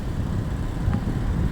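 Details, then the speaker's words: KLESTAR electric fan on its fourth day of test running after motor repair (shorted speed 1–2 windings, broken winding, fuse added); soft even airflow rush, no rattle, scrape or wavering hum. Normal running, repair holding. "Yan, ito na yung 4 na araw niya, ayos pa naman."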